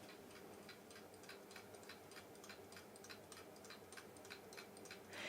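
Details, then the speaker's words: Chinese Diamond-brand vintage wind-up alarm clock: steady tick-tock of about four ticks a second while lying face down; set upright it stops. Owner suspects it just needs cleaning and oiling. "see face down it does actually tick but you can't read the dial so it's not much use as a clock really put it the right way up and it stopped"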